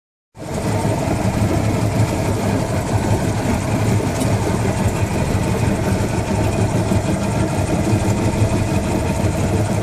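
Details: Johnson 150 hp outboard at wide open throttle, steady high rpm: light metallic rattle that comes and goes, louder at higher rpm, started about two weeks ago; intermittent engine rattle, cause unknown.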